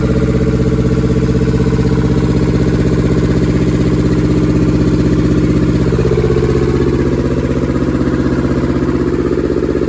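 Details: German air-cooled Deutz F2L511 two-cylinder diesel, ex-forklift, sat about 5 years: even clatter at a steady four beats a second with firm low thump; idling evenly with no misses.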